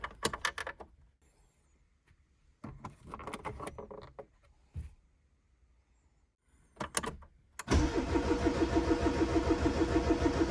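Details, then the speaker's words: 1991 Ford Fiesta barn find, stored for years, first cold start: several short cranking bursts, then it catches and settles into a steady, even fast idle on choke; starts and runs healthy. "it runs and well isn't it just a Charming old car and that sounds really really nice"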